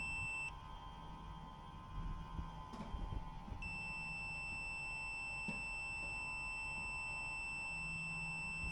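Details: Hovercraft engine magneto removed for a points check with a beeping tester: a clean steady high beep cuts out as the points open, then returns and holds, so the points close and conduct properly.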